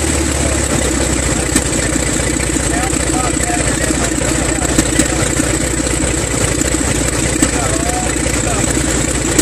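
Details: Six-cylinder engine at first start, battery weak and charger connected: settles into a steady, even run with no missing beats in the low drone. Afterward oil pressure reads 6 psi and dropping; sensors or wiring suspected.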